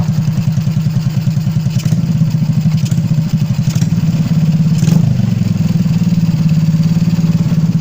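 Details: Motorcycle that was hard to start cold, with abnormal idle and throttle, after an intake leak repair: a steady, low, even thumping idle with no hunting or stalling from a cold start. Idle stable and healthy.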